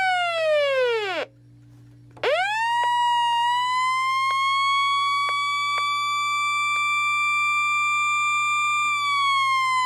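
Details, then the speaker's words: Realistic Weatheradio Alert III model 12-140, which never picked up stations: piercing alert tone sweeps down, cuts out, then jumps back high with odd clicks; harsh, distorted alert, owner unsure if normal. "I don't even know if that's supposed to be normal but that sounds awful"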